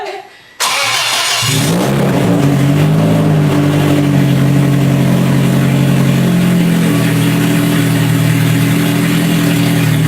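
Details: Scion FR-S with a freshly rebuilt 3SGE engine swap, first start after the rebuild: the engine cranks, catches within a second, revs briefly, then settles into a steady, even idle with no knocks and runs fine.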